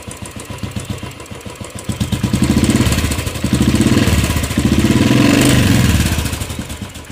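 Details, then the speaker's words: Royal Enfield Classic 500 BS3 EFI with a starting problem, after the stuck relay was freed with a light tap: single-cylinder thump at a steady idle, swelling smoothly through a few gentle blips and settling back; normal idle. "यहां पर देखिए यहां पर bike start हो गई"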